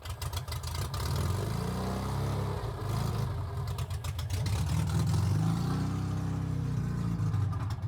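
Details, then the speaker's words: Metro 1275 A+ manual engine newly installed in a classic Mini, first start with choke and accelerator not connected; oil pressure comes up instantly. Loud, deep, even exhaust burble with steady firing pulses and a couple of blips, no knocks or misses; runs healthy. "She lives. It's so good. It sounds so good. Sounds so naughty."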